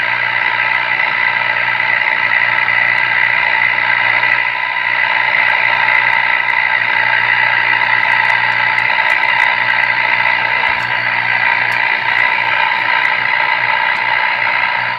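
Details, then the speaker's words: Northern Electric Baby Champ AM radio during IF transformer alignment: steady, harsh, buzzy tone over heavy hiss that never cleans up; distorted audio output, alignment gave poor result, something else needs attention. "that's a terrible sounding signal to do this"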